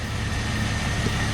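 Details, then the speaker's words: 2001 Jeep Grand Cherokee Laredo 4.0 six-cylinder at idle, warming up after new radiator and serpentine drive belt. Steady even idle with a faint belt whirr and no ticks, squeals or misses; no leaks like before. "So far, no leaks, nothing just running out like it was before."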